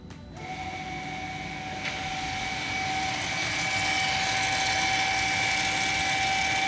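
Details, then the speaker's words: Volvo XC60 with over 300,000 km, parking brake put into service mode by computer: thin steady electric whine swelling for several seconds as the motors slowly retract the pistons on old brake pads; normal. "There we go. Takes a while, but these are old brake pads, so there's a lot to retract."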